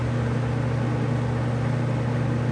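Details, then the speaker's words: Robeson box fan on high speed: even, steady low hum with no wobble, throb or rattle; fan doesn't move on the table and runs balanced, unlike modern Lasko fans. "It is not moving. So it seems to be in balance. And it's not like these modern fans today, these Lascos that just move all across the table."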